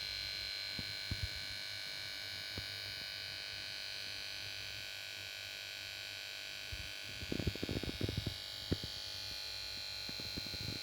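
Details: Samsung plasma TV PS42A410C1XBT sits on standby and plays startup melody at switch-on, then won't start; steady high-pitched whine and buzz with clicks from the power board, no start.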